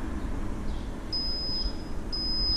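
Two short high-pitched beeps about a second apart over low shop hum; the AC machine signalling its charge cycle is finished.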